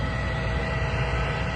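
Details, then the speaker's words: Trane 20-ton packaged rooftop unit with no heat: new replacement inducer motor running, replacing the old one that sounded horrible; low, steady hum with no rattle, scrape or wobble, smooth and healthy. Igniter later found bad. "Sounds 10 times better than the old one."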